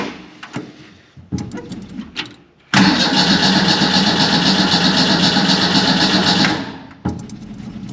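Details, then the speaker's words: 1931 Ford Model A coupe with 2.3L four-cylinder, spring start: sluggish, uneven cranking in short bursts before it finally fires; it always cranks as if the battery were dead, and the owner suspects a broken ground cable held by a washer. "There we go, finally. This car's always turned over hardly, acting like the battery's dead."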